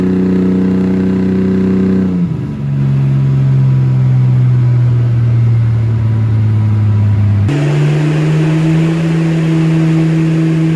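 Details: Mercedes W203 "C400" project car on a dyno, after the ignition timing was corrected in the ECU and the fuel ratio tuned under dyno load across the rpm ranges: a strong steady note that drops at the shift and climbs cleanly again; running healthy.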